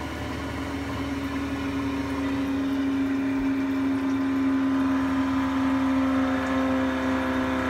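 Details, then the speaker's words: Gas boiler with Giannoni parallel-coil main heat exchanger, firing during servicing; steady low droning roar under a rushing hiss like a distant aeroplane; blocked coil, boiler still runs but eventually bangs heavily: partially blocked heat exchanger. "and this noise is a block coil and the boiler actually run fine with a block coil eventually just starts a banging crash heavily"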